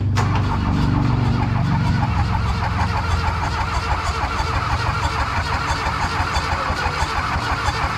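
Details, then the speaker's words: VW Mk1 Rabbit/Caddy pickup with turbo-diesel swap, injector lines left loose to bleed, fuel system vacuum-primed via return hose: starter cranks briefly, then diesel catches into a rough, knocking steady run. "so now she should just crank it over and then it should be okay so go ahead and just crank it james"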